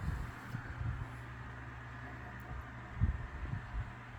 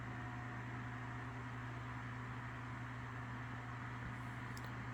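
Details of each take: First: Lasko 3150A 12-inch oscillating table fan, circa 1980-81, oscillating after being turned back down toward low. Quiet steady hum with soft, irregular low thumps as the head swings: oscillation knock from fiber washers worn by heavy use, a common age issue. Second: Lasko 3150A 12-inch three-speed oscillating table fan, circa 1980-81, used but well cared for, running on medium. Steady, even motor hum with a soft airy rush and no ticking or rubbing: normal fan running.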